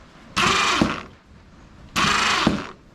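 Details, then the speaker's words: Yard-sale ATV winch motor after disassembly and sandpaper cleaning, wired directly to a jump box: two short steady whirring runs with gear ratcheting; motor turns fine. Remaining noise suspected from cable rubbing. "And it turns."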